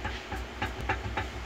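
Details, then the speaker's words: Perfecta electric convection oven fan, a new 2022 unit: low motor hum with rhythmic scraping about three times a second, fan rubbing its housing because the shaft has play, bearing firm, possibly the key shifted. "arranquei a turbina aqui o rolamento Não não é tá tá firme problema é que o eixo tá com folga"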